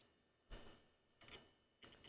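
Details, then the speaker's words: Hard drive in a PC rebuild gives three dull clunks roughly every two-thirds of a second at power-up, repeating without spinning up normally; repeated clunks suggest a failing drive, setup cannot load the operating system. "Oh Hey Ron just says repeated clunks equals bad Drive"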